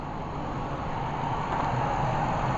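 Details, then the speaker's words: Already warm, temperature gauge near halfway, held at high idle about 5 minutes after bottom-up cooling system fill: smooth even hum with no knocking, ticking or gurgling; normal running. "I've been holding it at a high idle for about 5 minutes now, and it was already warmed up when I started."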